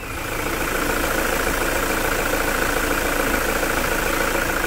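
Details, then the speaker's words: Toyota SW4 3.0 diesel, 2010, 187,000 km, after post-purchase service with decarbonization: steady, even diesel idle with soft regular clatter, no knocks or misses; healthy. "escutar juntos essa Melodia isso é um coral de anjos não é mesmo"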